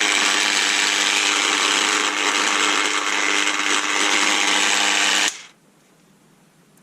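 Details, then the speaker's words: Bosch PDA 120E delta sander (120 W, variable speed, seller said it works poorly), first power-on before repair: harsh loud rasping grind with a high ringing edge for about five seconds, barely vibrating; something inside clearly wrong. "something is definitely not happy in this it's not really vibrating so yes I think it's fair to say that it doesn't work"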